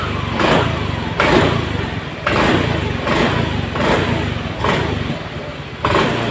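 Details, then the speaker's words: Honda Beat Eco injected scooter after fixing the TPS sensor wire chafed by the air filter box, previously stalling with laggy throttle; about five crisp blips that rise and settle without hesitation: normal throttle response. "Alhamdulillah untuk hasilnya sudah normal kita tes tes"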